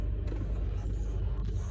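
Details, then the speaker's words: 2009 Honda Accord four-cylinder idling with uneven, stumbling pulses after a long crank; cylinders 2 and 3 misfire counts (P0302, P0303, P0300) caused by an aftermarket starter disrupting the crank signal. "Cylinder 2 and cylinder 3 counting instantly. So I'm gonna go ahead and remove the intake manifold and confirm that it has an aftermarket starter, and then replace it, relearn the crank signal, and you know, hopefully our problem will be resolved."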